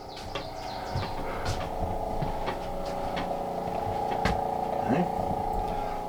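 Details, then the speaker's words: Travel trailer RV that was not winterized: the diaphragm water pump runs with a steady electric drone and light irregular chatter but pumps air, not water, with no pressure building. The pump is believed bad and was replaced. "Let's turn some water on. And it just ain't pumping water. It's pumping air."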